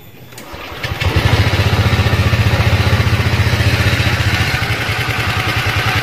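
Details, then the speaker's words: Honda Vario 125 ESP scooter idling: fast steady beat that sometimes won't drop, idle intermittently high by itself, sometimes normal, sometimes stalls; erratic high idle. "kadang-kadang itu gasnya mau lamsam seperti biasa Ya normal seperti itu dan kadang-kadang gasnya itu tinggi sendiri"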